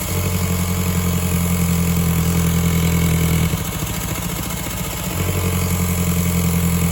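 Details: 2002 VW Golf GTI 1.8T AUM, 150 hp, 169,000 miles, cold start; steady drone stumbling and sagging briefly then recovering, misfire on starting that settles once warm; owner suspects leaking secondary air pump system, coil packs not yet changed.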